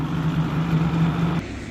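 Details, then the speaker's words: 1987 Yamaha Banshee 350 twin revived after sitting over 10 years, carbs synced: deep steady low burble with even beat, smooth well-balanced twin idle, like a cammed Camaro. "I got the carb synced perfect. I mean, listen to that sucker. Just Almost sounds like a cammed Camaro."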